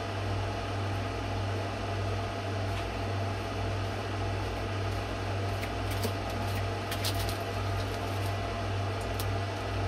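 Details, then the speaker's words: Microwave heating water for one minute on a KRXNY 2000W pure sine wave off-grid inverter (48V DC to 120V AC 60Hz), with a reading of about 2500 watts; steady even hum, constant fan whir and mains buzz, no arcing or surging, normal microwave operation. "this thing is pushing 2500 watts guys it says 2000 watt it's pushing 2500 watts remember I'm not using this guy I'm using this okay I just went and turned the microwave on 2500 watts"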